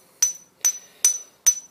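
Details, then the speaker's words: Grinding wheel ring test before mounting for tool-post grinding, tapped with a screwdriver handle or Allen key; four clear, high, bell-like rings decaying cleanly: sound wheel, safe to use. "now if it doesn't do that it's not recommended that you use the wheel"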